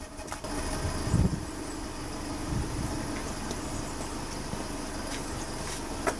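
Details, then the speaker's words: Petrol engine idling smoothly and evenly after a deliberately introduced cylinder-one misfire is removed by reconnecting the plug, every cylinder firing, during pressure transducer exhaust-pulse testing. "again now, nice and smooth. And what that gives me another very valuable way of just doing a basic health check on an engine."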